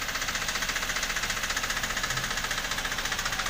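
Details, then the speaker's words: Toyota Avanza (pre all-new) petrol engine sounding like a diesel, heard from below at the side; sharp regular metallic knock about 220 a minute over idle; likely piston slapping cylinder wall; engine teardown needed. "tapi kalau dia ngeflek atau benturan piston sama dinding silinder itu biasanya olinya tidak bercampur samagram ya"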